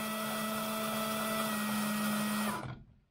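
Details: RC4WD Zetros 6x6 gearshift: steady servo motor whine about two and a half seconds then clean cutoff; shift completes its travel normally.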